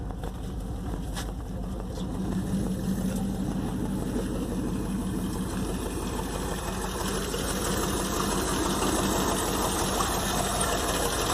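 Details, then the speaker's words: 1958 Plymouth V8 after compression test and new spark plugs replacing 40-plus-year-old carboned ones to address misfire: fairly steady idle, beat mostly even under background noise; sounds healthy and much better; heater hose leaking. "But sounds good, doesn't it?"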